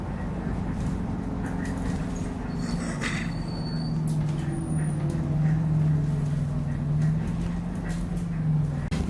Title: Refurbished Optare Solo CT Plus OS23 YJ12GVV with a Squeaky Noise on the Route 309